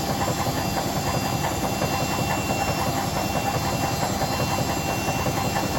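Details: Hotpoint BHWMXL145 washing machine on a test spin. Heavy rhythmic thumping roughly once a second under a loud rattling spin, as the drum flops about. Two drum spider arms are snapped and the drum is cracked at the back. Bearings were first blamed.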